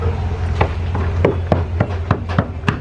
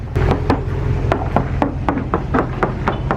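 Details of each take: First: Knocking around chipped areas of a Midnight Express center console yacht's fiberglass hull to check for soft spots or water damage. About ten dull taps, roughly three a second, each give a low, hollow thud. The owner notes that this spot sounds hollow. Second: Hull knock test on a Midnight Express high-performance, double-stepped center console yacht. Crisp, sharp knocks ring short and firm with no dull thuds. The fiberglass hull is solid, with no soft spots, cracks or problems found.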